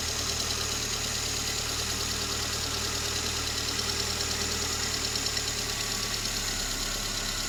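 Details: VAZ 21083 (2109), just bought: at idle a light uneven ticking about three per second over engine hum; top-end knock somewhere in the cylinder head, cause unknown.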